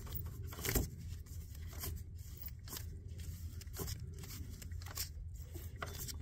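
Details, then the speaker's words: 2013 Chevrolet 3500 6.6L Duramax, one of two alternators spun by hand with the belt off: quiet swishes, spins freely and smoothly with no grinding, so its bearing is healthy. "It seems to spin freely, smoothly, with no noise."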